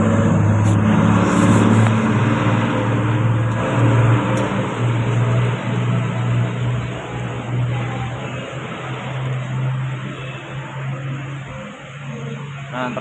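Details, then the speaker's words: Yamaha fuel-injected scooter with VVA after reseating a connector possibly loose, linked to speedometer fault code: engine runs smoothly, revs up and down evenly, VVA system working, no misfire or hesitation; normal running. "Được rồi, các bạn. Ở đây, hệ thống VVA vẫn hoạt động bình thường."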